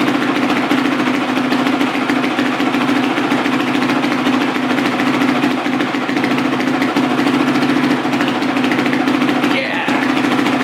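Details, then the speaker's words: Carbureted four-stroke single-cylinder dirt bike, near operating temperature: a steady, even beat and clean constant hum with no knocks or rattles. Normal running. "is like right now it's good running carbureted four shows like literally there's nothing like it just wow"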